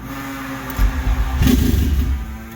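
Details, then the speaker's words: Car with the battery in the back, on a jump pack with a connector jumped: starter churns in a short burst of uneven low thumps, almost catches but never fires up; no start. "so car does want to crank and almost wants to catch. Uh, you heard it briefly where it wanted to start."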